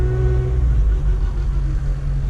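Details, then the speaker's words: 8th-gen Honda Civic Si, 80,000 miles, test drive after bending back a part that caused front-end scraping and banging: only steady low road rumble with no scraping, clicking or grinding; quiet front end after repair. "all seems well I don't hear nothing I hope I meet it enough and hopefully it just stays fixed oh yeah that's a whole lot better before I was scraping just trying to move it really"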